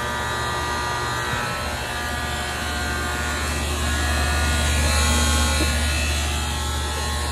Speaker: Resistance was too high on the other one, that's why it was buzzing.